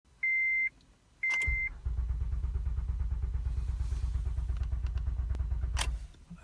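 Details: 2008 Acura TL bought at auction, with a green key light flashing on the dash; security bypass with a dealer code didn't help: two chimes, then the starter cranks steadily about once a second without catching; crank-no-start, key suspected.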